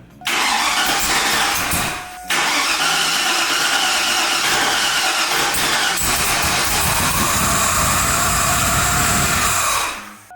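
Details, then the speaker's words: 2002 Chevrolet Silverado 1500HD being rebuilt with a Vortech V3 supercharger kit, first start attempt: long harsh cranking whirr with a short pause, never catches; fuel and oil pressure present but mass airflow sensor left unplugged. "do have fuel pressure and I realized I never plugged in any sort of math so it's not going to want to start"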